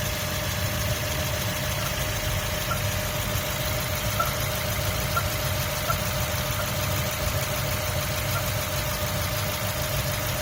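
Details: 2003 Mazda Miata MX-5 at steady idle: a faint, sharp chirp repeats about once a second over the engine hum; the chirp's source is unclear.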